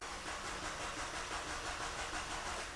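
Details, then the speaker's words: 2011 Nissan Juke 1.6L turbo, fully cold after sitting overnight, known for hard mornings starts and running rich: starter churns in an even hissy rhythm, about five beats a second, with no firing; oil in the turbo intake from a cracked turbocharger. "Yeah, it's so right now it's not starting, and that is good news. So we've replicated the hard starting problem, I believe."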